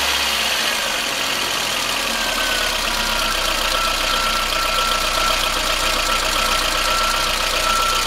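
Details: VAZ 21093 fuel-injected engine, cold idle: light, fast ticking about four per second from the top of the engine, fading as it warms; owner suspects valves needing adjustment, unconfirmed.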